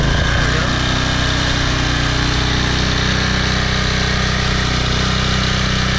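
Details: Toro Personal Pace 20333 mower, Briggs & Stratton 190cc engine, restarted on its new aftermarket carburetor with correct governor shoulder bolt: steady, even beat at constant governed speed, no misses or surging; healthy normal running.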